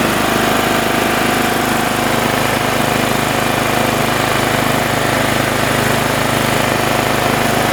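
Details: Briggs & Stratton engine on a TimeCutter Z480, a no-start fixed by replacing the flywheel key, running with the shroud off: steady, even fast beat with no knocks or stumbles; healthy.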